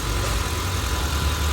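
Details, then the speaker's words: Honda Civic FD K20 with long cranking after sitting overnight: after restarting it starts easily and holds a low, steady idle hum with no misses or knocks. "ตอนนี้ติดแล้วติดเลยติดติดแล้วดับสตาร์ทเครื่องใหม่ก็ติดง่าย"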